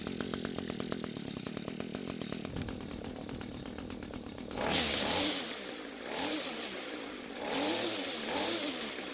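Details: Echo two-stroke string trimmer, owner claimed canned engineered fuel, now run on the mechanic's own fuel; crisp even buzz at steady speed, clean throttle blips rising and falling smoothly; runs fine, though fuel lines and tank grommet need fixing.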